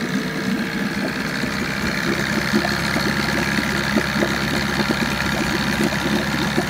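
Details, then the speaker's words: 1987 Johnson 9.9hp two-stroke outboard after replacing top and bottom crank seals and spark plugs and tuning the carb: steady, even low idle with a light rapid patter, no misses or knocking; idles down nice, very clean, little smoke, good compression. "Really idles down nice. Very clean. Very little smoke. Still has really good compression."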